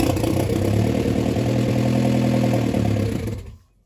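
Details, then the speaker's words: Vauxhall Mk3 Astra GSi off the road since 2007, about 10 years stored; first start after wiring repairs, with fuel at the rail, spark confirmed and bad fuel leaks. It fires and runs loud and uneven for about three seconds, then cuts out. "we've got fuel pissing out but she fires"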